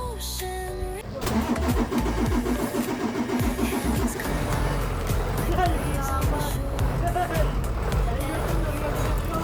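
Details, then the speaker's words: Mitsubishi Fuso Fighter with a 6M61 diesel, previously not starting due to a fuel system problem: after the fix the engine catches after a second and settles into a steady chugging idle, with music in the background; it starts successfully now. "dol napaandar na doluli na ni siya dol Okay na success na"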